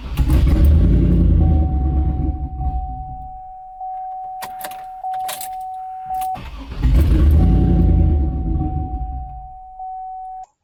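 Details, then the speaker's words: Turbo LS V8 truck with 3-bar MAP sensor, HP Tuners calibration just written from stock file: cranks, catches, runs rough about two seconds and dies with chime ringing; won't stay running. "so now it started and it didn't want to stay running so we might actually get to play with some some idle stuff"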